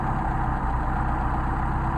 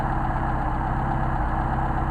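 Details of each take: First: Mercedes 190SL with rebuilt Solex carburettors, thermal-cycled and leak-checked, then started cold and hot with the mixture screws being set: smooth, even low idle with a steady beat and no misses or stumbles. The carbs run cleanly. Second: Mercedes 190SL Solex carbs on test, idle mixture screws turned off their midpoint; the idle goes uneven and lumpy, RPM drops off and the engine stumbles and shakes; incorrect idle mixture setting.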